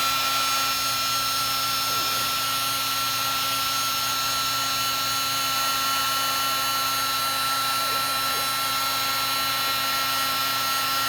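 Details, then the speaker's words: Heat gun in use for heat shrink: a continuous high fan whine with a rough, gritty edge and no change in speed. Grinding noise; owner thinks the fan is rubbing. "Okay. That doesn't sound that great. It's just hear a little bit of a grinding sound."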